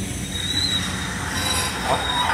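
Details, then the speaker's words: CSX freight train under an air brake application with the brake cylinders extended: a steady rolling roar with thin, high squeals coming and going as the shoes bite the wheels; brake shoe squeal. "the brakes squealing now look at the brake cylinders right here see the brake cylinder extended"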